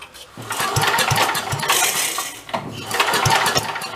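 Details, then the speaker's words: 54-year-old Mite-e-Lite generator, long abandoned, freshly cleaned and fuelled, throttle held wide open by governor: pull-start cranks give short coughing bursts that die at once; hard to get a fast pull. Fires briefly but won't keep running. "let's got flip that wire up for Spock see she'll cough for us hard to get a good like speed pull on"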